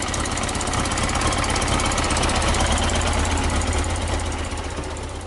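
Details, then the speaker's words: Yamaha XJ900S Diversion motorcycle: even, steady idle at about three pulses per second, no knocks or rattles, smooth exhaust note; normal idle. "as you just see it sounds pretty awesome first time when it started"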